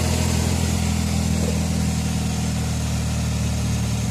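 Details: Toyota Vios after topping up engine oil (check engine light and no-start cause was no oil): smooth, steady low idle with even beat, no knocking or ticking; normal idle.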